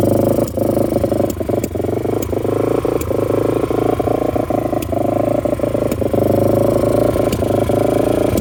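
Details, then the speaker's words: 1998 Yamaha XT350 with sticky throttle idling by itself only around 3,000 rpm, dying higher or lower: sharp irregular pops and clicks with sucking noise each second or so; owner doubts it's backfire, cause unclear. "I don't know what that sound is it's not a backfire I don't think but it's on it's idling by itself but it only idles right around 3,000"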